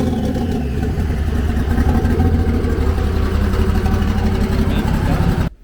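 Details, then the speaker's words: Nissan S13 on E85 fuel, warm, on jack stands; even idle settling around 700–800 rpm with a couple of clean smooth blips, no misfire or knock, fuel pressure, oil pressure and temps good: healthy engine. "motor i mean the motor sounds healthy that [ __ ] i run in like a champ right now let's see what the idol is at yeah she added a nice little 700 right there 750 800 right there"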